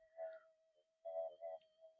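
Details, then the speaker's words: Minelab SD/GP/GPX metal detector with a coil run in mono mode with the volume turned up: a faint steady threshold with a few soft blips and no deep burble, much quieter than the other double-D coil. "There you go. It's a hell of a lot quieter. It hasn't got all that deep burble noise."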